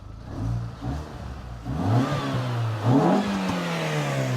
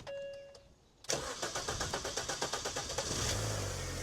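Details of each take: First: 200,000-mile Mini Cooper with an aftermarket air intake and a new radiator, coolant at 84 °C, fan not yet on: it blips and rises smoothly to a loud, clean intake roar with no knocks, healthy revving. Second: 200,000-mile Mini Cooper started with the radiator removed and no coolant: a faint whir, then about two seconds of starter chugs before it catches into a smooth idle; cranking slightly longer than usual for this car.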